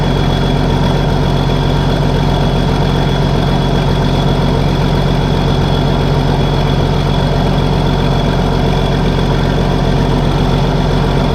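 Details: Case 1450B dozer with a freshly rebuilt diesel engine, just started after reassembly: deep, even rumble at steady idle with no knocks or misses. The mechanical pressure gauge is climbing toward 40 psi, and the idle is healthy.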